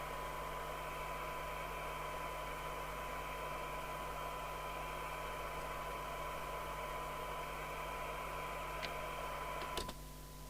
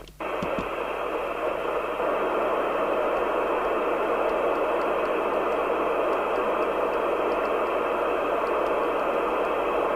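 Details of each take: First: Interceptor TC300 CB27/81 UK FM CB radio on receive test, about 3 µV sensitivity, fixed reference crystal off frequency; constant hiss buries a thin steady test tone, audio weak and rough: noisy weak receive from off-spec reference crystal. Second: Interceptor TC300 CB27/81 UK FM CB radio after dry-joint repair, reference crystal replacement and receive alignment, on aerial: steady even hiss with no crackle or dropouts; receiving normally.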